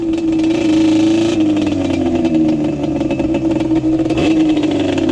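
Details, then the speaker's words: Yamaha Banshee two-stroke ATV with Alpha Cup 350 kit after curing its bog, warm, no choke; crisp revs climb and drop quickly with clean steady crackle, sharp throttle response and no bog, much more responsive. "You see, it's a lot more responsive now. Yeah, you can already tell the difference. Ass. Sorry, Cody, I'll clean it up. Yeah, man, this thing's a ripper."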